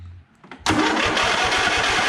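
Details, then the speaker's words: Lawn mower engine (John Deere 145 / Cub Cadet / Murray comparison) cranked with choke off so it won't start: sluggish even cranking about eight compression pulses a second, worse when warm; owner suspects loose valves affecting decompression valve, plans valve adjustment. Slow cranking. "I'll see right now it's actually okay, but it kind of hesitates a little bit to turn. It's a little slow. Especially at first, and once it's warmed up, it's even worse."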